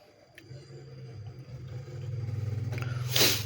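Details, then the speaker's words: LG single-tub washing machine that won't spin-dry, set to spin only: low steady hum as the drain motor pulls in, then a short water hiss; drain motor engages normally before the drum wobbles and the sensor trips. "Nah, itu kedengaran ya, motor drain menarik normal."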